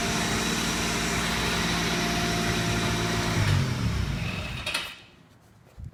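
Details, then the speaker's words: 1994 Buick LeSabre running steadily with fans roaring, then a brief odd clatter and thump as the key goes off; cause unknown, car also ran very rough when driven. "And that's good, but you heard that sound when I shut the key off. That's the reason I didn't take the car to auction to try to sell it. Now what the cause of the sound is, I don't really know."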